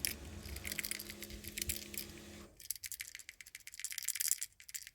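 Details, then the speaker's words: Failed hazard (emergency light) switch removed from a Ferrari F430 centre console: dry rattling bursts like loose metal bits shaken in a small plastic case, its internals broken apart and rattling loose; the switch is being replaced. "something's rattling around in there."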